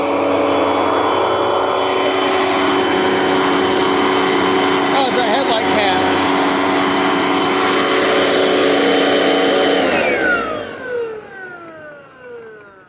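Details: 2004 Panasonic upright vacuum: steady high motor whine holds evenly for about ten seconds, then falls away smoothly as it switches off; runs normally.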